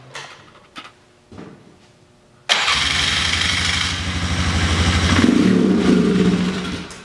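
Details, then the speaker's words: Polaris Sportsman 500 with an aftermarket carb, running with the airbox on: the single cylinder catches but runs unevenly and struggles to pick up. Bogs with the airbox on, runs well with it off; air leak at the airbox, owner also suspects the mixture screw. "why does your machine bog down with the air box on but it runs good without their box so I'm going to show you what this does with the air box on"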